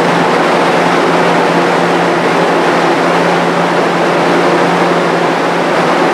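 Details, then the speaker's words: Restored, powder-coated Jenny fan with a variable-speed-capable motor, running while sitting on wooden blocks: a loud, steady air whoosh with a constant low motor hum and no vibration, rattle or thump; normal running. "seems like it's running really smooth I don't have any vibration in it"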